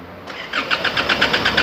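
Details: Isuzu D-Max diesel that stalled while driving, before diagnosis: starter turns it over at about eight pulses a second but it never catches; a crank, no-start.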